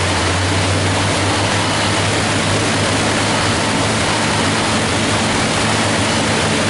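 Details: 427 cu in Ford small-block stroker (forged internals, Dart aluminum heads, Edelbrock Air Gap, Comp hydraulic roller cam, carbureted, MSD ignition, 500 hp/500 lb-ft) on wide-open-throttle dyno pull; loud, dense, steady roar with no knocks or misses; strong, healthy engine under full load.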